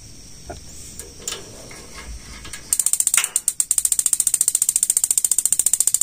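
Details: Gas water heater: rapid, even igniter ticking at about three to four clicks a second, with the gas solenoid expected to open under a second after sparking; normal healthy igniter operation.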